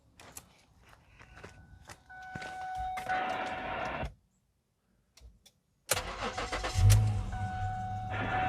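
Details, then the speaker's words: Vehicle jump-started with an Auxito AJ01 portable jump starter: clicks and cranking, the engine starts briefly then dies and restarts; the unit clicks inside and seems to shut itself off, cause unclear. "weird. It did start it though. You guys heard it start it. I don't know why it just died out."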